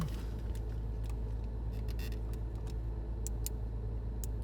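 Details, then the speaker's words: Porsche 986 Boxster convertible top running after the top switch was refitted correctly with its back tabs seated: a smooth, steady low motor drone at an even pitch with a few light ticks; the top mechanism runs normally. "It works. At least it sounds like it. There we go. See how nice that is now? That's perfect."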